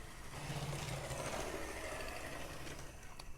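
Soft, light mechanical whir with loose ticking at about three per second over the rails; the small locomotive runs evenly and healthily.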